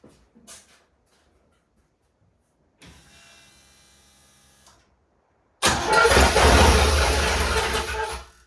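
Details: Willys Jeep CJ5 with a swapped-in Chevy 4.3L V6 and hydraulic roller cam, first fire-up after the swap, timing adjusted by ear without a timing light: short crank, then loud, slightly uneven running for seconds before cutting. Rough first start; cause unconfirmed.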